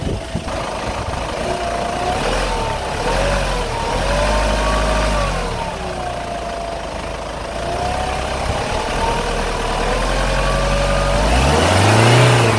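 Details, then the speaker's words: Hyundai Grand Starex diesel, bonnet open, pedal pressed to 1,000–1,500 rpm: a clear whistle rises and falls with revs; loud at cold start, somewhat less when warm, still loud at idle; turbo vs generator vs A/C disputed, suspected turbo. "You have to make a lot of noise when you accelerate, but when you start the car for the first time, the sound is quite loud and warmed up, it stops a little, but it keeps making a lot of noise while idling"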